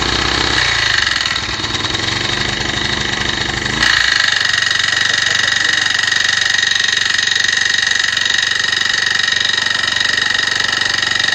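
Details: Honda tiller (kanriki) that had seized, now turns but makes abnormal noise; valve clearance reduced from 0.3 mm to 0.2 mm, yet a constant hissing metallic scrape stays over the fast, even engine beat. Owner suspects stuck piston or piston rings; unconfirmed.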